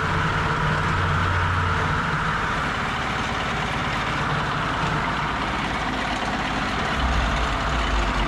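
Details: Old 2-cylinder diesel, believed Cummins, off a generator, on a sawmill; sat 6–8 months. Rough, loud chugging, steady uneven beat at idle; caught and keeps running, normal.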